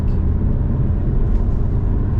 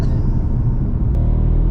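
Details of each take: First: Alfa Romeo MiTo Cloverleaf on a freezing day, road test after a repair: smooth, low engine rumble under way with no stumble or uneven beat, pulling cleanly; sounds much better, fault fixed, normal running. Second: Alfa Romeo MiTo Cloverleaf on road in Dynamic mode, engine light flashing: heavy, lumpy low rumble with uneven beat, running on three cylinders; suspected coil pack or spark fault, worst case MultiAir unit.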